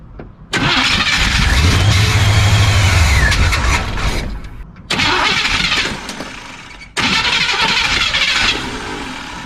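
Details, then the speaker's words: 1976 Chevy Cheyenne 4x4 on a freshly charged battery and old starter, with fuel not reaching the carburetor line: three bursts of strong, even cranking with no firing; crank no-start, and the fuel pump or fuel system is suspected. "Still nothing. All right, folks, I'm not gonna sit here and just crank on this old starter and this battery that I just put a fresh charge on."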